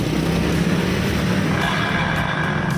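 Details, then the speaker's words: Honda Vario 125 or 150 scooter pushed forward or backward gives a steady, rough low growl like snoring, which is smooth once a part is released. Cause is a small worn bearing that needs replacing. "tuh seperti ngorok ya ini kalau kita e majukan atau kita mundurkan itu pasti bunyi ini teman-teman"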